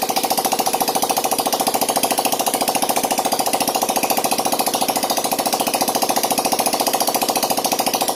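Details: Yamaha Jupiter Z1 / Vega ZR after repair of scored bore, piston and worn valve stems, idling with exhaust removed to check for smoke: sharp, rapid, evenly spaced pops at steady idle with no misses; runs healthy.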